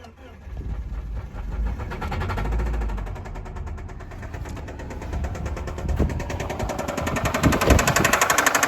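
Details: 2005 Subaru Outback XT, turbo flat-four believed EJ255, likely ran low on oil, old battery; rough shaky idle with a hard, deep knock about four times a second sharpening with revs: rod bearing failure.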